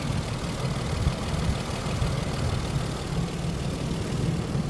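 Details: 1999 Isuzu Vehicross after repair of engine knocking from a loose timing belt 1-2 teeth off (timing belt, idler, collapsed tensioner, pulley, water pump and coolant replaced): smooth engine note rising and falling evenly with throttle, no knocking; normal revving.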